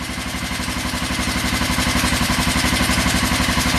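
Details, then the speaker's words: 1996 Kawasaki Vulcan 500 twin, cold start at about 28°F after heat-gun warming, idle set low, oil black and due for change: steady, even idle with regular pulses, no misses or knocks; running on both cylinders, not smoking. "so that finally it did fire it's about uh 28 degrees here up in Upstate New York today as you can hear it is running"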